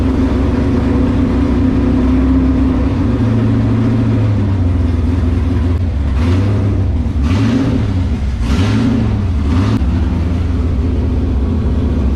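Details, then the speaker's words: LS7 V8 in S14 competition car, first start after about 3 months sitting and an oil change with 10 litres, run to build oil pressure before priming the accusump: lumpy idle with short throttle blips, even pulses, no tapping; normal. "So always put in 10 litres, and now we just start it up and get oil pressure."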